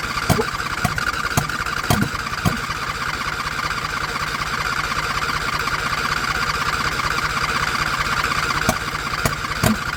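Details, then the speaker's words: John Deere LA120 mower, owner thinks a 21 hp Briggs twin, with an empty tank and nearly empty fuel filter, choke off, fired on carb cleaner spray: ragged cranking with a few pops that catch and die, fuel starvation. "so the tank was empty there's practically nothing in the fuel filter let's give it a shot"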